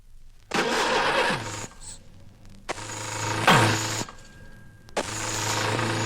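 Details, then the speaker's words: 1964 car-noise diagnostic recording: three short starter whirring bursts, each sagging and dying without the engine catching; the electric starter's motor side, not the drive side, is faulty and needs repair or replacement. "This is a faulty electric starter. It's the motor side rather than the drive side, which is out of order."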